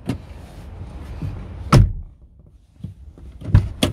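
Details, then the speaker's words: Chevrolet Lacetti driver's door after a budget fix for sagging without replacing hinges: solid single thumps as it shuts and latches, no scraping or creak; the earlier squeak is gone. "открывая дверь как вы знаете были скрип и сейчас все четко ничего нету двери закрываются тоже кстати хорошо"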